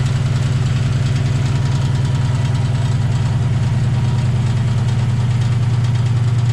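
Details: 2008 Ford Mustang GT V8 after new spark plugs and injectors; deep, loud idle with uneven loping pulses about four per second, a passenger-side misfire. Later traced to a vacuum leak from a cracked cold air intake at the PCV tube.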